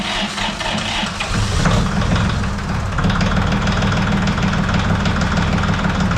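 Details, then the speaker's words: Yanmar diesel cold start at about 48°F without glow plugs or thermal start; catches and settles into steady low chugging idle, no knocks or misses, healthy. "So, we get kind of a cold start. It's about 48° here today. We do have life. Just going to kick her up."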